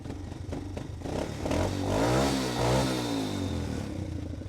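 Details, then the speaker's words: 1978 Honda CT90 fitted with a 125cc ATC engine and a modified Amazon muffler grafted onto half the original: small revs, even clean firing with loud throaty bark; healthy engine, just louder than usual. "This is the modified exhaust. Usually it's much quieter on the 78."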